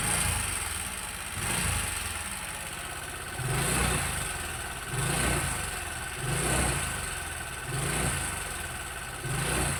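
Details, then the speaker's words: Motorcycle single-cylinder engine turning rough again three months after a previous repair: rattly top end and a surge every couple of seconds at idle; cam chain suspected, and a cam chain tensioner was found on inspection. "Dan ini setelah berjalan 3 bulan motor suaranya kembali kasar lagi ya teman-teman ya. Kayak begitu suaranya."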